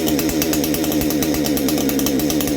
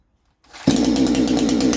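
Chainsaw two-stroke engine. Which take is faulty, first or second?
first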